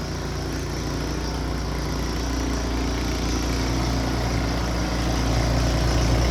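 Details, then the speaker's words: Snow blower returned by buyer, after repair, while clearing driveway: steady even low drone with smooth firing beat at constant speed; small engine running normally. "I think we're good to go it seems to run just fine"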